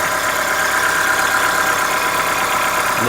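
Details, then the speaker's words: 2014-15 Chevrolet Onix 1.4 on gasoline, cold start, windy outdoors: busy uneven light ticking about three per second at idle; owner suspects lifter tapping inside engine, present since new, lasting about 10 minutes and worsening yearly; dealer calls it normal. "Barulho característico para mim, motor de diesel. Vamos lá. Logo após a partida, começa a fazer o barulho."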